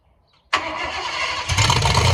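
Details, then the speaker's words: 1986 Ford F150 with solid axle swap, cold started while its coolant system is refilled after a flush: quiet, then a quick catch and a firm cold fast idle that settles into an even, deeper run. Clean start, no misfire. "Alright, I'm gonna go ahead and give you a little cold start just so you can hear it."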